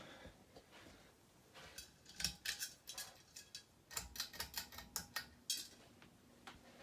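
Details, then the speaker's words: Hunter Leighton ceiling fan, built week 35 of 2005: quiet motor hum with irregular light ticks and scraping bursts from a sticker loose inside the motor; noise later stopped on its own. "so when it turns on you hear the sound of a sticker scraping around in the motor"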